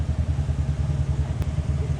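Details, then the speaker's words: Low engine drone pulsing unevenly with a missing beat every few firings; full miss of unknown cause while wideband shows very lean 19 to 18. "and it's also getting like a full miss for some reason"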